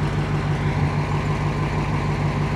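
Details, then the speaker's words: 1955 Ford Y-block V8 idling after replacing 4 bent pushrods and setting valve lash, air cleaner on, hood down: even low rumble, exhaust audible, front end much quieter and smoother than before; owner wonders if pushrods were always bent. "I mean you hear the exhaust but up front here it is a lot quieter than it was I don't know maybe those maybe those rods push rods were always been I don't I don't know but is definitely a lot quieter and sounding a lot"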